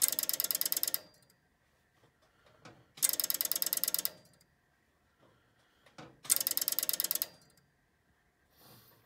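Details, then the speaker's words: Strowger PABX exchange line, dialing through the exchange line: three bursts of rapid relay clicks about three seconds apart. The relays stay operated for each digit and release at its end; normal relay operation during dialing. "can see that i ate in seee relays are they remain operated for the duration of the digit they're released at the end of it"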